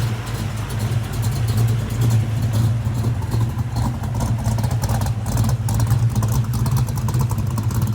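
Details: Ford 347 stroker V8 with Anderson N91 cam, 9.5:1, 205cc 11R heads, 750 carb, after lifter change, heard at the rear: deep choppy uneven loping idle, no valvetrain clatter; front sounds quiet, healthy big-cam idle.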